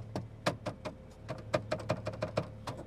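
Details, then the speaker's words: 2009 BMW Z4 E89 sDrive35i, cabin recording while driving. Light, uneven plastic tapping several times per second over low road hum: loose interior plastic trim rattling. "there's some other plastic in the car that is producing some noise and i don't know if you can hear it while we're driving but"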